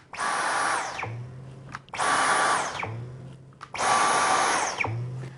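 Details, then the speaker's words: Dyson V11 cordless stick vacuum on its first use: three quick motor spin-ups, each a rising high whine that settles and ends in a soft low boom. The motor sounds healthy. "Okay, this cordless vacuum cleaner kind of looks like a big gun like this, right? Kind of cool. Actually, it almost sounds like it."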